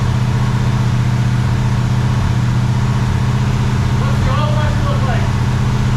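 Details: Freshly rebuilt 400ci small-block Chevy V8 (new bearings and rings) in a 5-speed S10, first run, 65 psi oil pressure; deep, steady burble with even firing beat, no knocks or ticks. Normal running.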